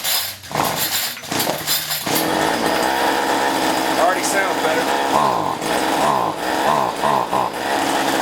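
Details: Weedeater (string trimmer) two-stroke after cleaning carbon-clogged spark arrestor screen: buzzes steadily, revs up and down cleanly and picks up crisply; normal running.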